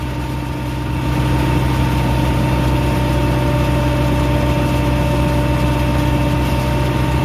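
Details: Bobcat 773 skid steer diesel after a park brake/traction lock solenoid replacement, traction lock being engaged and released: deep, even idle with a steady low throb, no knocks or misses; engine runs smoothly.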